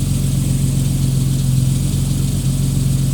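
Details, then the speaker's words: 1989 Jeep Cherokee XJ, Renix-era 4.0L, on an 11° cold start after replacing the idle air control valve. It previously idled at 2,000–2,500 rpm on cold starts; now an initial higher rev drops back to a smooth, steady normal idle. Fixed. "so it did the initial you know higher revving like a normal car would do and then came right back down so there you go"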